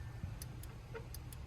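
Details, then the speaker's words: Wagon at steady idle after a new mass airflow sensor, with the throttle position switch readjusted because it sat slightly too high and held the throttle open: light, sharp TPS clicks a fraction of a second apart; normal switching. "You can hear the TPS in there. Had to adjust this as well because it was slightly too high and making the throttle open just like that where it clicks."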